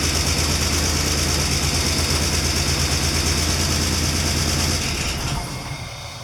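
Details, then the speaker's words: 1993 Ford E250 Econoline V8 running after the fuel pump replacement: a steady but slightly lumpy idle with even firing, then fading out; after three days of diagnosis the no-start was traced to the fuel pump. "well there it is folks we got the band running finally after three days of hard work and diagnosing turned out it was the fuel pump"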